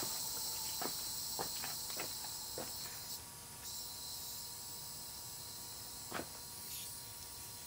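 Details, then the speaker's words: Condensing-unit compressor supplying a Hampson-Linde air liquefier: thin steady hiss as the relief valve lifts right at 350 PSI with little airflow; it needs booster pressure on the inlet, and the relief valve is also leaking slightly. "and now you can hear the relief valve [Music] going yeah not much air coming out of there at all definitely need some booster high pressure on the inlet of the compressor but it's going right at 350 PSI just like I said so that's good"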